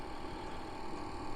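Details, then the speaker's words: 5kW all-in-one diesel heater on 12V supply running pump diesel, turned to its lowest setting in a workshop; soft even hum with faint steady fan tone, no surging; normal operation, louder on full setting. "it's on its lowest setting just now i've turned it right down just so you can hear me um when it's on full ball it's not excessively loud but it's probably louder than what a lot of people might like"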